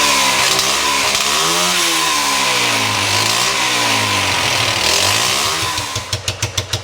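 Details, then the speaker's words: 1973 Honda CB100 single, hard to start and won't idle, after new spark plug (gap about 0.25): uneven surging revs, then slow stumbling pops before dying; rough running, owner suspects electrical fault, coil and wire next. "Let's start it up and see what it sounds like. Definitely didn't solve all my problems."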